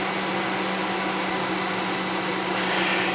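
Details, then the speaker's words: 1994 Saab 9000, warm idle during idle diagnostics: steady airy whoosh and constant hum as the radiator cooling fan finally turns on and runs normally. "how's the fan finally turned on"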